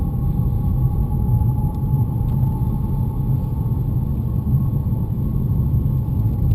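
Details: BMW E90 with a faint, steady high-pitched whistle or whine over road rumble, always present when moving in gear and mostly under load.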